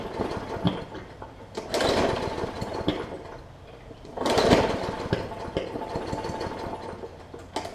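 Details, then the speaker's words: Hyper Tough/Murray Briggs & Stratton OHV push mower with plastic carb, sat unstarted over winter, water in fuel: engine runs ragged and uneven with irregular pops and surges while being pulled over; water probably in the plug too. "you can hear it popping so there's a little bit of water that's probably in the plug as well"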